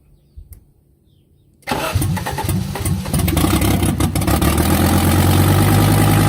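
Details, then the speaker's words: 1984 Audi 4000 Quattro five-cylinder, first start after reassembling the intake, CIS fuel injection, vacuum and ignition, with exhaust disconnected: cranking quickly catches into a loud, raw but even idle; it starts and runs fine. "getting ready to do the first start on my 1984 Audi 4000 Quattro I just finished reassembling the intake fuel injection system vacuum ignition all that fun stuff uh exhaust is disconnected so it might be a little low"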